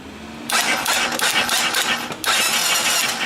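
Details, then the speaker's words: Baja 250cc with a starting and spark problem: sharp click at about half a second and again near two seconds, each followed by a rough starter whirr; starter solenoid click. "That's the solenoid. I know that because that thing clicks when you..."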